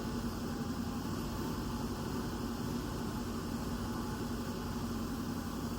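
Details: 1963 Chevy C10 small-block V8 with exhaust just completed: steady even low hum at idle, no knocks or misses; smooth normal idle.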